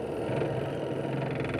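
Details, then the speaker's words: Filipino washing machine dryer (spin) section test-run after repair, plugged in and run first: previously made a noise like a boat engine, now a steady even hum with no rumble or knocking; normal spin. "So itong una nating pandarin yung dryer, kung hindi na ba tutunog na parang bangka na may bangka na makina. Yan. Wala nang ingay."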